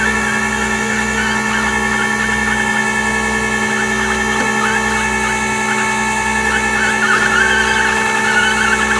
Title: Toyota four runner bad transmission